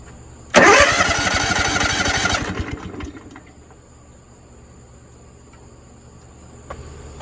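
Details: Propane-fueled buffer engine: about two seconds of fast, even starter cranking that never catches, then quiet; no start because the fuel regulator's pressure/pulse line is disconnected, so it gets no propane.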